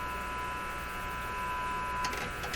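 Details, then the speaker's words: 1925 Magnavox Type D TRF radio in its cabinet with the original curving horn, on temporary supplies, receiving a 1000 Hz test tone. The tone cuts out amid clicks as tubes are wiggled, an intermittent tube heater connection. "Oh, we had it, and then I went and made it go away. And so the heaters make coming and going."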